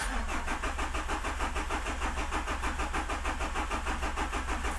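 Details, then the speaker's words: Rebuilt 200 hp HDI diesel, in neutral, brief cranking after reassembly, not meant to start: even starter cranking with steady compression pulses, never firing. "est allé quelques petits coups de démarreur on va attendre un petit peu que l'huile redescendre"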